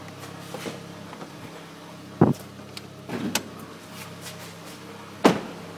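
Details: 2009 Mitsubishi Lancer Ralliart at idle: normal valve and injector ticking plus intermittent sharp knocks a second or two apart; dealer says SST transmission clutch chatter and normal, owner doubts; cause undetermined.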